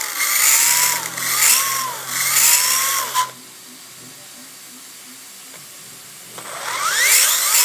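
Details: DRB with suspected gear noise: bursts of a high whine that climbs and falls with motor speed, then near silence; meshing noise from the spur and pinion gears.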